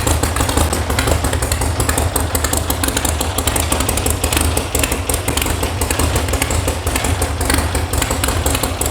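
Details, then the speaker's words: VW air-cooled flat-four sand rail (about 1966), brought in as a non-runner, first start: steady low chug with a slightly uneven, lumpy beat at idle; it clearly runs but sounds like it needs a tune, cause unconfirmed. "The reason it's here is because it doesn't run. That clearly ran. Sounds like it needs a tune."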